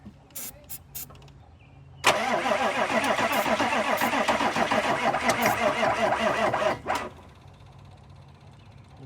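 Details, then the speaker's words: 1995 Chevy OBS 6.5 diesel: starter turns slowly, about four labored compressions a second, with no fuel from injectors yet, and never catches; batteries too low to crank fast enough, need more charge. "yeah all right so we're gonna have to let it charge a little more and get some more juice in it because that's not quick enough to do anything with"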